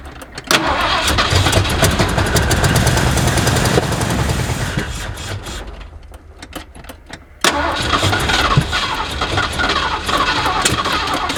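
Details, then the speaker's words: 1979 Ford F150 with modified 351, long abandoned, started after priming and brake cleaner: catches, runs rough and uneven, dies, refires, smoky; accelerator pump not moving, owner suspects carburetor or fuel pump, possibly clogged carburetor. "Starting to think we've got some issues with this carburetor or the fuel pump, one or the other."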